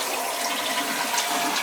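A full, strong rush of water drains evenly without gurgling or hesitation; the toilet flushes normally.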